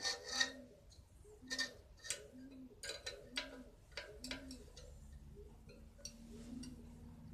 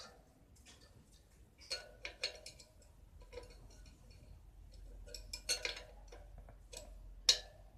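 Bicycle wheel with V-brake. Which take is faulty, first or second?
first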